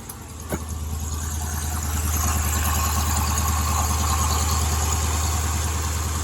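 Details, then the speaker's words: 2015 Dodge Challenger 392 V8, first start after battery charging, heard at the engine bay: deep, even idle, belt running smooth with no squeal, chirp or tick; sounds good, no apparent issues, normal idle. "So, but that's always a big relief whenever you start them and they start right up and sound good. Don't sound like there's any issues at all."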